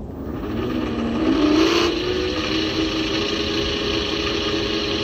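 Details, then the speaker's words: 400W three-phase alternator run as motor at about 69 V: steady rising hum with rough gritty rush on top; bearings loud and worn. "those bearings sound pretty bad i'm gonna let it run for like 20 minutes just to see if i can uh make it quieter"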